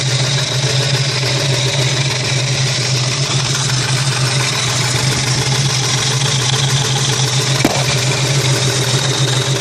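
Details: Nissan VG33 V6 idling steadily with a fast, light ticking, after rod and main bearings were replaced with OEM Nissan bearings and all clearances checked in spec by Plastigauge.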